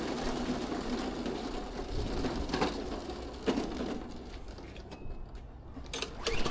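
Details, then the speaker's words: Benchmark mower after a no-start caused by stale fuel left in an undrained carburetor: engine runs steadily with a loose, uneven, rough beat and clatter, which is normal for this mower. "Yeah, that starts and runs and drives on its own and all that. I always get hesitant whenever I start one of those benchmarks because they sound so terrible. I keep thinking something's wrong, but no, it's like Yeah, I know they're garbage. it's the engine trying to run."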